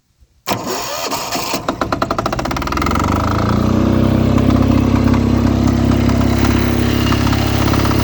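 Sharp cranking chuffs at about four per second, then the diesel catches and settles into a steady, even idle; it starts once the solenoid is bypassed.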